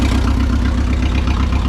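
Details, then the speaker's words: Neglected forklift idling after idle speed was raised at the carburettor adjustment: an even, steady low rumble with a regular firing beat and no knocks or misses; normal, healthy idle. "all I had to do was idle it up a little bit so it's idling it's doing good"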